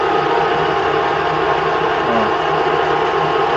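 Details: Chery Tiggo, which chirped like a cricket on the poly-V belt when cold and with the A/C on. Idling after the repair, where the pulley's rubber was replaced by a machinist: steady, even hum with no chirp or squeal.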